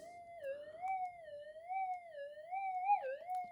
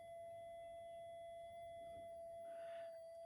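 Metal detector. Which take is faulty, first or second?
first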